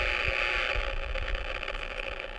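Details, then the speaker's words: Power line noise heard on an RFI locating receiver through the complainant's antenna at the house, with several active sources: a harsh rasping buzz with fast crackling pulses. Signature of arcing power line hardware. "we can see it's it's a pretty uh pretty active you have a number of sources in [Music] there there's the signature I've captured it in memory"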